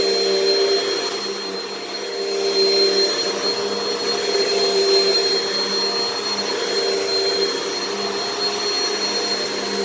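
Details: Repaired Hoover vacuum, the cheapest of a saved lot, running after repair: a smooth, steady high-pitched motor whine with airflow rush and no grinding or rattle. Normal, healthy running.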